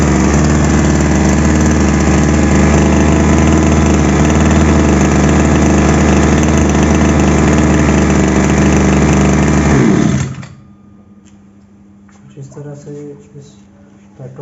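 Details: Two-stroke petrol power sprayer after repair, started with choke: steady, even two-stroke buzz at constant speed for about ten seconds, then shuts off cleanly; normal running.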